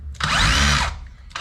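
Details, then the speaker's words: DeWalt 54V hammer drill after hammer mechanism rebuild: brief bursts of fast, strong, even buzzing hammer blows under the motor whine, whole tool shaking; normal hammer action. "You can hear the hammer work. Even the whole machine is shaking now. So that means it works."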